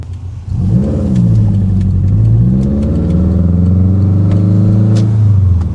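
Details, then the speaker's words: Rebuilt Subaru WRX after exhaust cam timing fix, first-through-fourth gear pull in normal driving staying out of boost; clean, even pull with pitch climbing steadily, blow-off valve audible, no knocks or misses. Normal acceleration. "This thing sounds so good with the tile BOV on it."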